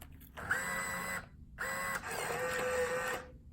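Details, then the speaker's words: Coinco bill validator (BA/Mag/MagPro/BillPro series) accepting a bill: two short motor whirs pull the bill in and stack it with a steady tone and no grinding or stalling, then a credit appears; normal operation. "a credit appears at that point the validators job is complete."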